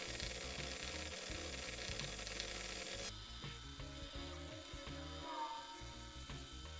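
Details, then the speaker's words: Policar WRX slot car motor running at fairly low revs during run-in with car polish on its plastic gear: rough, gritty buzz with ratchet-like chatter before the gear beds in and quietens. "run it at fairly low revs just feed a little bit more car polish"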